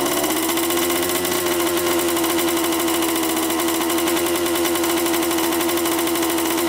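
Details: 1987 Honda CR80 two-stroke dirt bike, after mixture and carb adjustment: steady, fairly high ringing idle settling after a short rise, never dropping back; idle too high, owner suspects a missing line from the carburetor.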